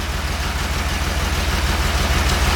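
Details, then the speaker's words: 1969 Porsche 911 T, freshly rebuilt carbs, new plugs, wires, cap and rotor, began misfiring and losing power while driving: uneven, stumbling idle with an irregular low pulse; owner first feared a burnt valve. Misfire. "i was driving it in and it started misfiring and it wasn't like uh it seems a little worse than i expected so we're gonna get into this and try to figure this out"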